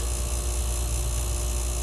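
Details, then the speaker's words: New Frigidaire 13.9 cu ft fridge in a garage just after plug-in: steady low mains hum with faint buzz as the compressor runs at about 60 watts, a bit louder than expected but normal. "aha you can hear it humming okay so it's actually a little bit louder than i thought it would be but uh okay so that's kind of interesting even when it's on you can hear the compressor going"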